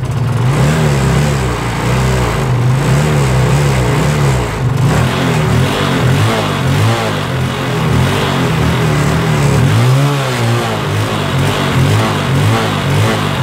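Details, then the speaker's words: Kawasaki Rouser 135 non-starter after basic troubleshooting: small single revs up and down with a slightly uneven, misfiring beat but keeps running. "yan makikita po natin diyan na medyo palyado palyado yung andar niya yan pero napaandar natin siya d sa Basic Trouble shooting natin"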